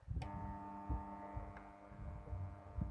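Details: HotRock powered speaker, amplifier hums constantly at idle: steady low hum with a buzzy edge from the speaker, traced to failing filter capacitors in the low-voltage power supply feeding the preamp/mixer.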